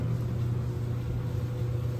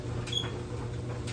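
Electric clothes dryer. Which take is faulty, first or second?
second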